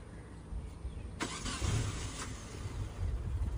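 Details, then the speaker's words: Carbureted Proton Saga after a carburetor clean and a new fuel tank, at 25°C: a brief crank, then it catches straight away and settles into a low, slightly uneven idle; easy start without auto choke, idle timing very low. "korang boleh tengok, mudah je nak start."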